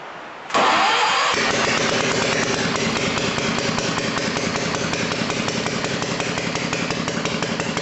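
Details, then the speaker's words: Old BSA 220cc single-cylinder stationary engine, first start after repair on electric starter via jump leads, choke and a bit of throttle: quick crank, catches immediately, settles into an even steady idle; normal start. "put a set of jump leads on because i'm gonna have a go starting with the starter motor"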